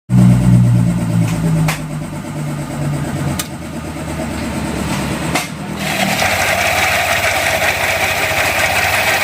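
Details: Yamaha Aerox scooter engine running: hollow layered rattle riding on its note, caused by badly worn or broken camshaft bearing in cylinder head.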